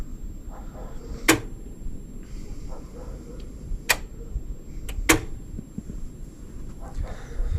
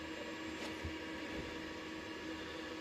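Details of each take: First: DEYE 10 kW three-phase solar inverter, two years in service and often overloaded: internal grid relay clicks sharply and irregularly over a low hum, repeatedly dropping and reconnecting the grid despite normal voltage and frequency. Cause was a firmware bug, fixed by update. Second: Three-phase 10 kW DEYE solar inverter, two years old, after DEYE firmware update: quiet, steady electrical hum with no relay clicking; it no longer disconnects the city grid as it did idle and under load, the cause being firmware.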